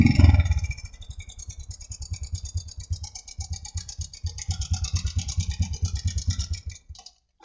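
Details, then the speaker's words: Honda Supra X125 with rough engine noise: uneven clattering idle about three beats a second, worse at idle and partly easing when revved, seemingly from the cam chain side; slack cam chain. "Hai stasioner malah lebih parah suaranya kalau kita dengar langsung di motornya itu kelihatannya dibagian sebelah rantai keteng ya"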